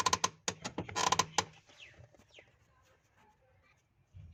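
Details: Clutch pedal released and pressed gives sharp squeaky creaks, sounding as if something is broken; dry, worn bush in pedal pivot, fixed by removing the bolt and greasing the bush.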